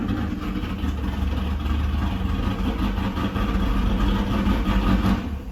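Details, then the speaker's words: First start of an El Camino G-body with an LS swap and a Texas Speed cam: a deep, choppy, wandering V8 lope. It idles rough because it has no tune yet and is dumping a lot of fuel. "It's not idling good because it need a tune in it, but it run, baby. It run. I ain't gonna let it run too long. because it's dumping a lot of fuel by it not being tuned."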